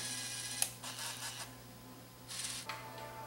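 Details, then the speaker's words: Vintage Sony TCD-D3 DAT Walkman being overhauled, AMS next-track search. Quick bursts of light mechanical whirring over a low hum as the tape winds: transport works; owner suspects the heads need cleaning because of slight dropouts. "there it goes zoom on this thing so you can see how this thing works there that's [Music] it yeah it's working go to the next track to find the next"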